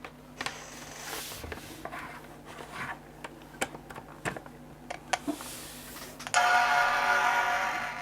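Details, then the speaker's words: PowerBook 1400cs on its own power supply at power-on: a few handling clicks, then one clear sustained startup chime, healthy; no hard drive spin-up heard yet. "have a chime that's reassuring"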